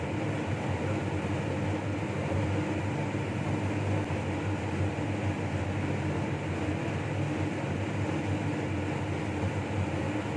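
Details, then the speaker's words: Laminar flow hood restarted during reassembly of a Toshiba DT01ACA100 donor hard drive: constant low hum with a steady airy rush, no rattles or wavering; the blower is running normally. "Here the laminar starts again. You can hear the voice now."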